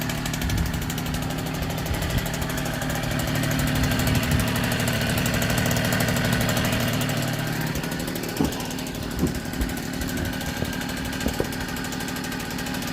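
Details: 1964 NSU Quickly S23 3-speed two-stroke moped, first start after engine rebuild, on premix (32 ml oil per litre), carburetor checked beforehand; fast, crisp putter, fairly steady with a few light clicks near the end, running cleanly.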